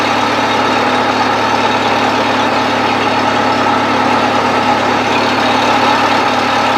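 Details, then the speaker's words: 1970s Bobcat 610 skid steer on a semi-cold start: steady, even low idle with a smooth firing beat and no knocks or misses; the engine runs healthy. "Sounds good enough for me."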